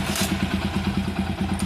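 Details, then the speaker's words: Motorcycle single-cylinder engine after replacing camshaft, cam chain kit, rocker arms and plus bore kit: even quick idle beat about nine pulses a second, no tapping or clatter; normal idle after repair. "இந்த வண்டி நான் start பண்றேன் எப்படி இருக்கு பாருங்க sound பக்காவா இருக்கும் எந்த பிரச்சனை இருக்காது"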